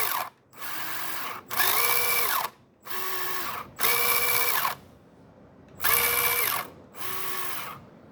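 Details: SG Pinecone Forest 2402 1:24 RTR RC car, about 1.5 months old: repeated drive bursts with harsh gritty rasp over motor whine, only when driving forward, not reverse, with vibration; grinding from central gearbox assembly.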